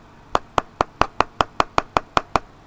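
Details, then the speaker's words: Burnt-smelling, bulging LiPo battery pack from a Polaroid DVD player, described as near thermal runaway. Eleven sharp springy pops, about five per second, as the pack is pressed, like a spring inside. The cells are swollen from over-discharge. "sounds almost like a spring inside there"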